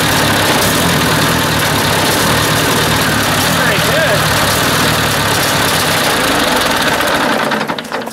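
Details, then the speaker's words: Ford 800 tractor that ran well, then began acting up after a ride; the owner suspects the points: lumpy, uneven running that stumbles every few firings as a cylinder drops out, then dies away; misfire. "it was running good and then just started doing that i don't know why it's like something's missing maybe i do those points again"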